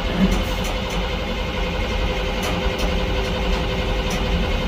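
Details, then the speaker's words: Rail King SS 4450 diesel railcar mover, very cold, in for a slipping transmission (speeds 1 and 3 fail): uneven, lumpy idle with irregular stumbles, barely staying running; owner fears gelled fuel; rough idle, cause unconfirmed. "sounds like old jalopy"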